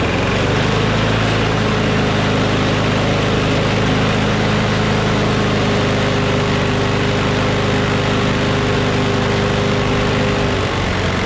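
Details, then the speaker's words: Craftsman push mower with a Briggs & Stratton Quantum engine, about 23°F, after easing spring tension: steady, even drone at constant speed without hunting or surging; slight vibration, owner suspects the blade is a little out of whack. "so okay that sounds much better now alrighty ready ready so it vibrates a little bit which means the blade is probably a little bit out of whack"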